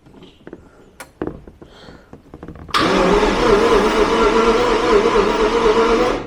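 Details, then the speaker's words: Abandoned Jaguar XJR-S, about 103,843 km, battery just connected, test light on ignition: starter turns engine steadily about three seconds with slightly uneven beat, never fires; crank no start, no spark, something disconnected. "No, nothing from there. So definitely something disconnected,"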